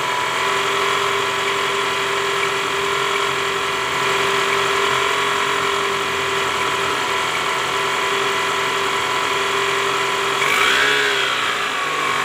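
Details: Toyota Camry 2010 (ACV40R) 2AZ-FE engine running with a very harsh metallic rattle over a steady whine, caused by a loose balancer shaft with worn gear surfaces.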